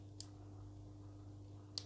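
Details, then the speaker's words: Turbine-type 12 V smoke-generator blower with rotary on/speed knob and red mains LED: two sharp clicks over a low mains hum as the knob is turned on; normal power switch click. "Вот, щелчок произошел, значит включился, и загорелась лампочка индикаторная."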